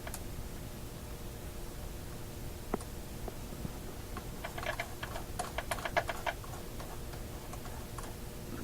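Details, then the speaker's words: Westinghouse 1398 AM/SW/FM tube radio tuned on the upper shortwave band gives irregular crackles and sharp pops over hiss and low hum. The owner suspects a dirty tuning capacitor needing cleanup; not confirmed. "a little more noise sounds like it's coming from the tuning capacitor so that guy really needs a clean up"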